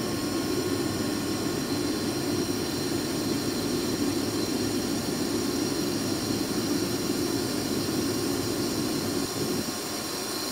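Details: 2005 Boge 40 HP variable-speed screw compressor, 480 V, 79131 run/1909 loaded hours, at max rpm rebuilding pressure after a ball valve is opened, about 68–70 dBA: steady smooth hum with an even mid-pitched drone, no knocks or squeals; normal running.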